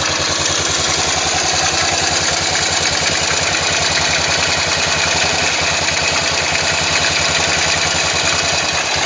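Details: Yamaha XT 500 single at idle: even thump with bright metallic clatter on top, despite valve clearance checked and ignition set and strobe-verified; abnormal engine noise, source unclear.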